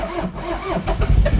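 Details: Toyota MR2 with bad rod knock, possible lost compression after something sounded like it flew out: uneven, labouring cranking chugs that catch briefly but fail to keep firing; crank no start.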